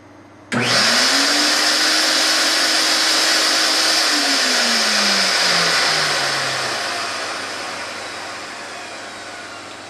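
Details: Fuji HVLP turbine (one of MM4, Super4 or Q4) in a sound comparison: spins up instantly to a smooth, steady whine with airy rush, then coasts down evenly; normal turbine running.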